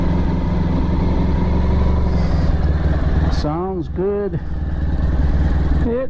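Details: Restored Honda ST1100 motorcycle, cold start on choke: a steady, low, even thrum with a gentle pulse and a couple of rising tones over it; a cold engine idling cleanly.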